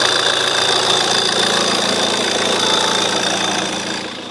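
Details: JTD diesel at idle: constant thin, high chirp over the clatter, likely an accessory or belt squeaking; source still unknown while searching.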